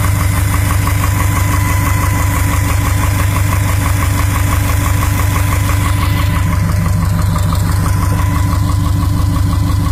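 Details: 2012 Subaru STI boxer engine with Manley forged drop-in pistons idling: steady hollow knock about three times a second, piston slap at idle.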